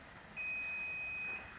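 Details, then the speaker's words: Daikin high wall split system, remote cancel button held, simulated U4 code: one steady high beep about one second, long tone confirming the displayed fault code is correct. "That tells you that's the correct error code."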